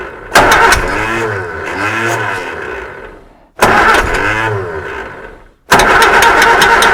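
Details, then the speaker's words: Reliant Supervan, first start in 37 years on a cold morning around one degree, choke closed: three rough start bursts with fast light ticking tracking engine speed, the fan tapping on something not yet identified. "the fan is definitely tapping on something but I don't know what it is"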